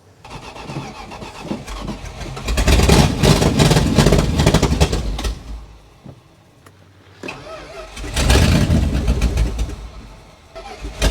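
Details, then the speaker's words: Dodge Adventurer 4x4 that hadn't run in 10 years: starter churns steadily about four beats a second, catching briefly then fading twice; cranks but starves for fuel, found bone dry, fuel pump bypass considered. "It wants to go, it just needs the juice to do so. We're just dealing with a lack of fuel problem here, that's all. Little lack of fuel problem."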